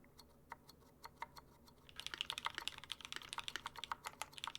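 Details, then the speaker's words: Glorious Panda tactile switches: crisp high ticks on every keystroke, quickening into a fast burst; the tactile bump clearing the leaf causes the ticking as it returns, not spring noise. "I don't think this is the spring, this is a leaf. It's every time that tactile bump clears the leaf, it returns, and you're hearing noise being generated from that."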